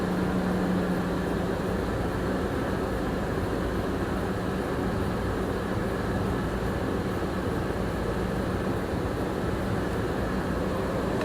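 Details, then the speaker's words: 2006 Nissan Armada with a swapped 5.6 engine, first run after the swap is completed, with a little steam and burn-off smoke noted. Steady, even low idle with a smooth unchanging drone and no knocks or misses; it sounds healthy. "Any leaks as of right now. Oh, tripped over the doggone jack. She sounds good."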